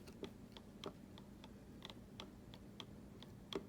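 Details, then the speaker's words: Traxxas X-Maxx RC motor shaft rocked by hand, compared against a tight motor and checked with dial indicator; light sharp clicks about three per second reveal a ton of side-to-side shaft play, excessive end play. "i mean i can clearly clearly hear how much play this shaft has compared to this one"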